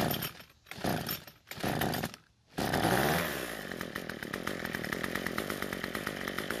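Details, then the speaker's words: Cub Cadet two-stroke trimmer on fresh ethanol-free fuel with two-stroke oil, before carburetor adjustment: sputters and cuts out at idle, then buzzes unevenly; lean low-speed mixture, fuel-starved. "so since it died while idling we're gonna try and adjust the L screw which is the scrutineers the engine it seems to be starved for fuel"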